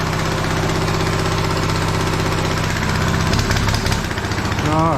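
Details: TrailMaster Mini XRX go-kart, pull-started without the electric starter: small single buzzes at steady even idle with quick rev near end; running normally.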